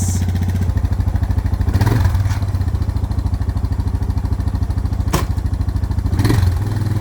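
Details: Suzuki DR650 motorcycle after winter, choke pulled, starting after fuse and battery replaced: steady single-cylinder thumping idle with two quick throttle blips rising and settling cleanly; normal idle and revving.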